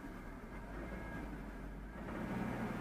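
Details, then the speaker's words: 2004 Chevy Tahoe with P0300 random misfire that stumbles at idle, during a brake torque test in drive: deep V8 rumble grows under load with an uneven, stumbling misfire. A spark plug visibly moves and an arcing sound is suspected. "Okay, we still got misfire. And you can actually hear it. I'm not even going to test drive it cuz I can hear it."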